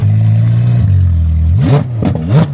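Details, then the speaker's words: Rebuilt crashed Ferrari 812 Superfast driven slowly at about 10 mph, shifting into second and then downshifting. The car crab-walks; a passenger-side suspension or control arm problem is suspected. The engine note pulls steady and clean, with crisp blips; healthy. "Obviously, we're not driving very fast right now, but uh it sounds healthy, too."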